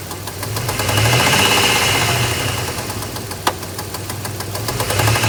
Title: 02 Dodge Ram 1500 3.7 What is this weird knocking/popping sound?